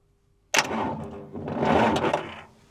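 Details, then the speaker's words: Volvo Penta TAMD 71B marine diesel, stood 10 years in a partially sunk abandoned boat, starter signal wire jumped to battery supply: sharp click then grinding starter churn turning it over about two seconds without catching; cranking normally. "She's cranking. I'm worried about turning too much."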